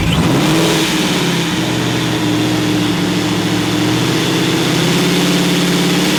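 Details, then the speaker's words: Coyote V8 swap, first start, no exhaust fitted, stock injector tune with 62-lb injectors on one wideband; loud unmuffled, uneven, wandering idle; runs funky, needs proper fuel tuning. "jesus it's only running on one wideband stock injector tune with the 62-pound injectors whatever math this is so that's why it's going to run like really funky"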